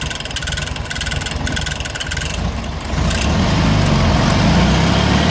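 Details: 1970 first-series VW Fusca (Beetle) air-cooled engine idling with rhythmic tapping three to four times a second, louder as revs settle; cause unknown.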